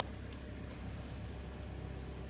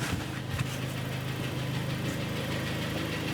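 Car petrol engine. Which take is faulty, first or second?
second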